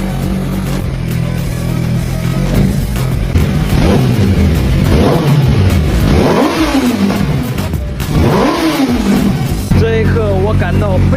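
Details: Yamaha R1 parked two years, after fuel tank repair, following starter repair, new plugs and throttle body cleaning: catches, blips up and drops back cleanly with steady idle between; starts and revs fine.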